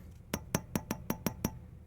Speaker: how these three have like a thump, but this one rings. Hear how it rings? That's a bad tube.